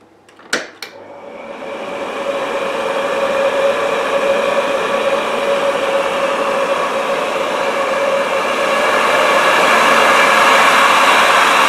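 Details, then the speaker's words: Old Philips vacuum cleaner switched on: a click, then the motor spins up to a smooth, even whine with no rattles or scraping, followed by a silky smooth wind-down; it runs normally. "And this is what I absolutely love about this. Certain old vacuums, not all old vacuums sound like this, but many of them do."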